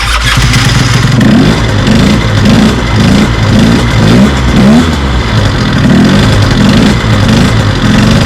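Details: Small two-stroke scooter on its stand with the CVT cover off, started on the starter motor after the owner checked for CVT noise and possibly worn orange clutch springs; steady low puttering idle with no grinding or rattle from the belt drive, normal idle.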